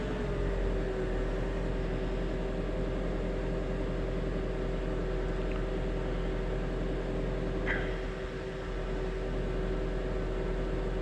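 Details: 2002 Jetta 1.8T just after startup: engine runs steadily with a constant mid-pitched hum-whine over a low rumble, an unidentified noise the owner cannot diagnose.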